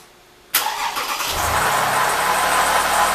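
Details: 2007 Toyota RAV4 AWD, 3.5 V6, just started with all dash warning lights on; it also needs a water pump. A light metallic chatter rides over the idle, then settles. The owner suspects the timing chain rattle these engines are known for; not confirmed.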